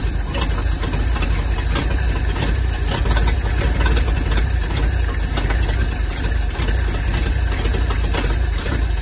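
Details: 1947/1949 International 1-ton flatbed truck, sat about 50–53 years, on used plug wires: old six catches on starting fluid, runs rough and low a few seconds, never settling to even idle, then stalls; weak ignition coil.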